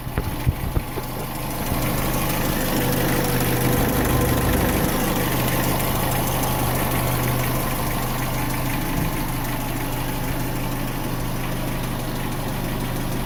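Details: Renault Symbol K7J at idle, before timing chain replacement: rapid, somewhat uneven knocking, roughly three or four a second, over the low engine hum; owner suspects the timing chain, source unconfirmed.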